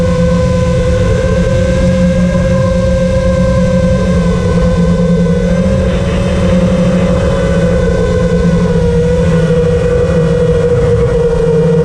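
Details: FR7 FPV quad after tuning with D-min removed, Iterm relax cutoff 10, RPM filter on: smooth steady motor buzz at even pitch with small throttle changes, no raspy gritty resonance that D-min had caused; motors healthy.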